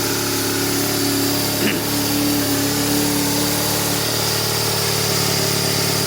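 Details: 1997 BMW R1100RT after diagnosing a no-start, fuel pump now priming: engine settles into a steady, even idle with a smooth hum and no misses or knocks; normal idle.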